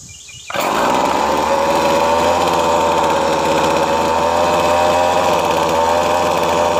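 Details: Weed Eater FeatherLite FL25C string trimmer that only ran on full choke, after carburetor replacement: catches within a second, holds high steady two-stroke buzz off choke with no surging or dying; runs strong and healthy.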